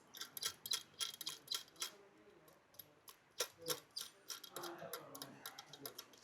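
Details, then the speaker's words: Suzuki Baleno RS, 1.0 Boosterjet turbo petrol, engine bay: quick, uneven light metallic ticking from the turbo wastegate (WGT, not VGT) shaft, worn inside. It lessens when the shaft is held and is louder while driving. Wastegate rattle. "ഇത് കണ്ടോ ഈ സാധനം കിടന്ന് നല്ല രീതിയിൽ ശബ്ദം ഉണ്ടാക്കുന്നുണ്ട് നല്ല രീതിയിലുള്ള ശബ്ദമാണ് ഇത് ഉണ്ടായിക്കൊണ്ടിരിക്കുന്നത്"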